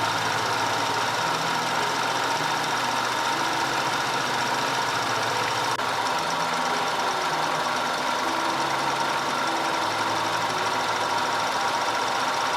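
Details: 2010 Audi A5 2.0 TFSI Cabriolet after repair of random and constant cylinder 4 misfire (P0300, P0304, P130A): steady, even idle with a constant hum and no stumble or skipped beats; engine smooth and healthy.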